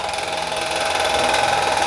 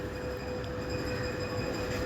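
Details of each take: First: Household stand fan (pedestal fan) running after capacitor and wiring work: loud, harsh rushing drone with steady whine; motor shaft worn at the bearing seat, bearing suspected bad. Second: Homemade-repaired stand fan running after a household fan dimmer was fitted as its speed control: steady whoosh of air with faint even motor hum, the previous loud noise now gone and speed control working; normal quiet operation.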